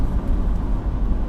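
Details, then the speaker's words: 1992 Dodge Ram van ambulance with 5.9L (360) V8, driving on the road: smooth, even low V8 rumble with rattling from the rear and no knocks or misses; runs really nicely. "I think that this this is the bigger engine so this is the 5.9 or in Mopar terms the 360. it runs really nicely"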